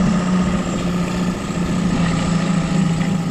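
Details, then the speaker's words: 2011 Suzuki DF9.9A four-stroke outboard, Keihin BCM A96C carb, after fixing damaged choke valve threads letting in unregulated air (previously stalled after seconds), warmed up: steady low hum with firm even beat, no stumbling; normal idle. "there you go the engine's run now before that it wouldn't do that even after we cleaned the carburetor"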